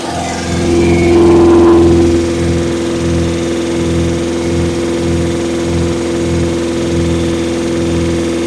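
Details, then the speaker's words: Engine during cam break-in, after finding oil leak at switch, about to check timing: brief rev then fast steady even idle, no misses; owner thinks idle a little high, no tachometer; lifters sound loud with chrome rally pushrods, to recheck. "I don't know that idle might be a little high right now I don't have a tack just guy and go by here"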